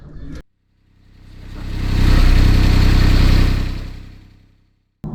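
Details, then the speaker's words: 2008 Smart Fortwo 451 Passion 84 BHP, running with the aircon compressor belt cut off after the compressor clutch burnt out and the pulley felt coarse: it settles into a smooth, even low hum with no grinding or howl; normal running. "as you will see now when I start it up without that compressor turning it's going to be a whole different sound"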